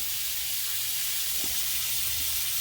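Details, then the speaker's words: 1/2-inch copper 90-degree elbow spraying water at 110 PSI because the pressure reducing valve had failed: loud, steady high-pitched hiss like a jet of spray with no rhythm, area soaked like a lagoon. "That is super loud, dude. That sounds like a river. I don't see it yet. I can see the ground is wet. Holy mackerel. Coming out of that 90."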